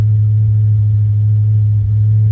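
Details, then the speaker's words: Ford Fairlane number 1 after sitting over a month in a snowbank, just started: deep, smooth, even hum at about 800 rpm with no knocks or misses, around 45 psi oil pressure and 15 volts. Normal, healthy idle. "Wow, it's really running smooth too."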